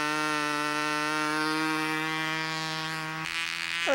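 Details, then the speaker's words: Glow engine on a U-control (Windy U Master) plane: high steady buzzing holds even pitch without sag, then settles slightly lower; sounds about right, properly tuned and running clean. "sounds about right right there it sounds about right to me"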